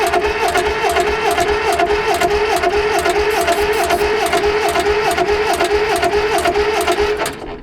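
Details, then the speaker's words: Old Caterpillar D8 dozer, not run in decades, being cranked by its pony starting engine, fresh rebuilt carburetor, still cold: steady rhythmic cranking with a wavering whine, about two beats a second, something coming out the exhaust but it never fires. "I mean there's something coming up out of the exhaust not lighting off like I was hoping"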